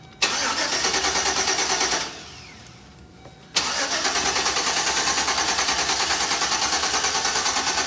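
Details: Chevy Express van with a bad fuel pump kept running by spraying brake cleaner: engine runs, dies for about a second and a half, then catches and runs rough and pulsing from fuel starvation while being limped onto a lift.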